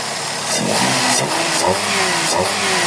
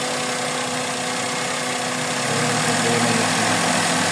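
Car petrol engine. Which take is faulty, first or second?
second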